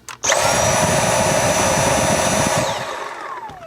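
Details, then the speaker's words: Dyson V7 cordless vacuum after 4 years of ownership, running in max mode: motor snaps up to a steady high whine with a rush of airflow, holds it evenly, then winds down smoothly; no motor issues, normal run. "So as you can hear, there's no issues going on with the motor. It still sounds and works great."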